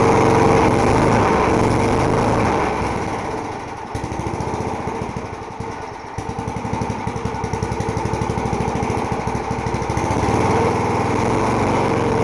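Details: Small 3.5 hp single-cylinder lawn mower engine with rotten deck, primed and started: steady, even, fast patter with no misses or knocks; slow to start but runs healthy once warmed.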